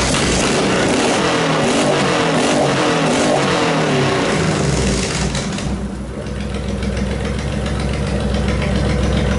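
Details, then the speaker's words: Honda VTX 1800 V-twin after clearing a blocked fuel tank breather hose that caused running problems, idling 10 minutes; a few throttle blips then an even steady idle, no misses or stumbles, healthy. "I've had an idling for 10 minutes now and um yeah it seems to be no dramas at all us after 10 minutes"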